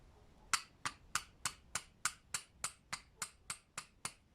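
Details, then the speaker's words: Toyota engine, piston rocked by hand: about a dozen sharp metallic clinks, roughly three a second, from a worn non-floating piston pin without circlip, typical on Toyotas over 300,000 km; piston pin wear. "я заметил эту беду сопряжение поршень с пальцем но опять же это происходит и пробегах свыше 300 плюс"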